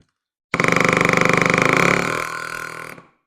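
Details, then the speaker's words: Cordless drill in hammer mode, demonstrated on wood: fast, even buzzing pulses, roughly eighteen a second, unlike screw-driving clutch clicks, easing off on trigger release; normal hammer action. "see that weird noise that it's making that is the hammer that's a little different than the clicking that it makes putting the screw"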